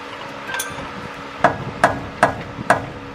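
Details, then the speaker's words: 1997–2002 Ford F-150 RWD front suspension, upper control arm pried with a bar to move the wheel up and down. Sharp metallic clunks, about two a second. The upper ball joint is out of grease and worn, and the bushing is worn out; the upper control arm is being replaced. "hear that that defies that the upper patron is its out of Greece and born and the bushing is all worn out"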